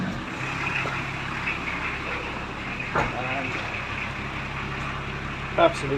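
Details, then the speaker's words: VW Transporter T4 after swapping the older pre-95 2.4 straight diesel for the newer single-rib-belt 2.4 engine, with dual-mass flywheel fitted: quiet, steady idle with even low hum, no misses or knocks, much quieter than the old engine, no smoke. Normal diesel idle. "u can hear it's a lot quieter not banging or laughing like the other engine"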